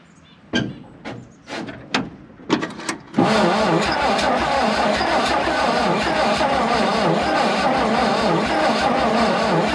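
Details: 1951 Dodge B-series truck, long-sitting, first start attempt: a few uneven cranking bursts, then it catches and runs rough and struggling; needs more fuel at the carburettor, and an oil pressure line is cracked.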